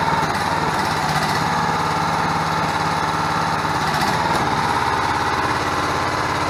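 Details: 6.5 hp gas engine driving a 13-gpm two-stage 2000 psi hydraulic pump on a new portable hydraulic power unit runs smooth and even at steady speed with no knocks or misses; healthy normal running.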